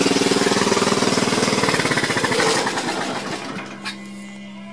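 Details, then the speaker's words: Gravely 526 single-cylinder engine after carb cleaning, fuel line replacement and carb tuning, choke partway on: quick, even chop with a steady beat before winding down; normal smooth running, longest run yet. "That's the longest I've ever had it running right there. Running pretty smooth. The choke is partway on. But it's running pretty good right there."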